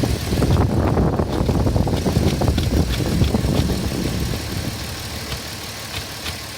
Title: Cayenne 3.2 lpg 2004 noisy when cold...